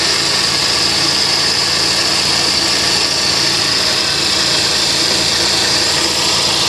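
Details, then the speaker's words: Salvage-auction car at idle, hood open, back of engine wet with fluid; steady loud hiss and whir over a smooth idle from some belt-driven accessory, source not pinned down, hoped to be only an accessory; alternator charging. "Okay, so there's an accessory over here making a ton of noise. That's for sure. Hopefully it's an accessory."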